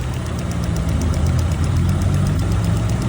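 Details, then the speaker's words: 2024 Lada Vesta, 3,800 km, running in on factory oil: light ticking at idle, two or three a second, mistaken for hydraulic lifters; actually the evap canister purge valve ticking, which stops when it is disconnected. "Надеюсь меняют масло звук не проходит а на самом деле это вот этот вот абсорбер шумит"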